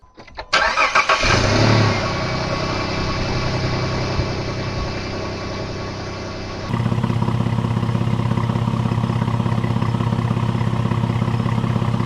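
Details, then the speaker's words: Jeep Liberty 3.7L V6, re-rebuilt after rattle 3,000 miles post head gasket and timing chain job, tensioner now holding chain taut: quick crank, catches immediately, flares, then settles to smooth even idle with no chain rattle; normal start. "But at this point I knew I was close. The tensioner held the chain taut."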